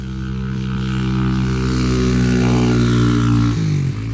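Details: Honda XR200 single on its first test ride after a full transmission rebuild and other new parts: steady, even thump climbing smoothly, then a clean shift at about 3.5 seconds; runs healthy, rider says everything felt smooth.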